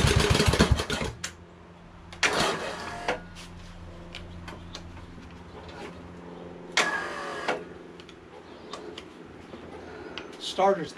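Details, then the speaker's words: Craftsman LT2000 hydrostatic lawn tractor repowered with Kohler Courage engine, after epoxy crack repair for oil leaks: uneven cranking in short bursts with sharp clatter and whirring gaps, like the starter slipping; starter suspected, not confirmed. "belt i don't know uh because the the starter seems like it's kind of funny right"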